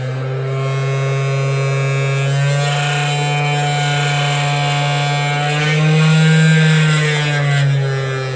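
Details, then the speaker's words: Cheap 500W air-cooled CNC spindle with speed regulation, screwed to wood and running unloaded at about 10,000–11,000 rpm. Loud steady hum with a buzzing rattle: crazy vibrations at high speed. "now we're getting crazy vibrations it will do like uh 10 11 000 rpm but it's vibrating like crazy"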